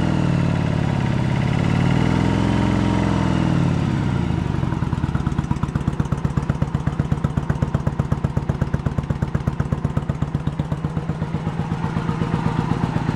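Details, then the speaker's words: 1986 Yamaha Virago 1100 V-twin, sat six to seven years with fuel in it, no choke: ragged, lopsided idle with single pops about four per second and gaps; front cylinder dead, fuel reaches it, so not the issue. "I got nothing on that front. I gotta look into it. So why we got nothing on the front?"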